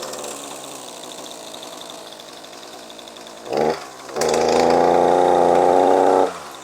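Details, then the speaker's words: ECHO SRM-2620T two-stroke string trimmer, two years of daily use with no maintenance, 50:1 mix: ragged idle, bogs on throttle to a flat strained drone with weak exhaust flow; clogged spark arrestor screen suspected. "you hear it's like really bogged down sounding so as you heard there it's definitely struggling you can hear it completely bogging down when i give it any throttle"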